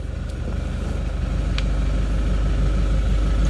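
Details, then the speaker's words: Manual car after lowering clutch pedal adjustment level with brake pedal, engine idling, clutch fully pressed shifting into reverse: steady low idle rumble, reverse goes in with no grinding or crunch, showing full clutch release; clean reverse engagement. "mundur harus enak tidak boleh gerak"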